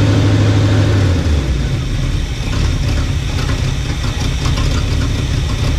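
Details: 1975 Chevy 4x4 plow truck, hot-wired, running on its own fuel pump after new spark plugs: loud raw low rumble with choppy uneven chuffing and no muffling; bad exhaust leak, essentially no exhaust, smoking; owner suspects no rings.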